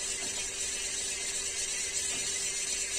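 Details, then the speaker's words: Ceiling fan running slowly: steady low hum under harsh scratchy hiss, much louder when slowed down; bearing suspected, cause not confirmed before opening. "इस पंखे में आवाज़ आ रही है slow करने पे।"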